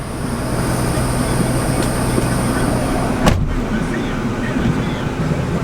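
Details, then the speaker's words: 2002 Ford F150 regular cab manual, 172,000 miles, just started first try: steady even low idle with AC blower noise behind, no knocks or misses; running healthy. "I am extremely impressed right now. It cranked up and the AC's blowing."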